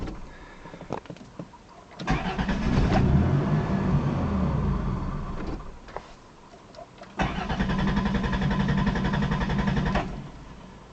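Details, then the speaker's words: 1990 Chrysler Town & Country, long-standing stalling now shutting off; fuel fine but loses spark, salvage 1989 Caravan PCM fitted, owner plans new PCM: two three-second spells of steady cranking, never fires; long crank, no start. "it's definitely it's got plenty of gas all that's fine it's just lose a spark"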